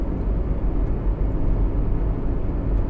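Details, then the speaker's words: Renault Triber cabin on highway at moderate speed: low, even road rumble with a faint steady hum, nothing sharp. Not silent but comfortable; no engine noise intruding; normal cabin noise at cruise. "बिल्कुल भी जो कहोगे एकदम silence तो वह नहीं है but फिर भी कंफर्टेबल अब कोई डिस्टरबेंस नहीं है"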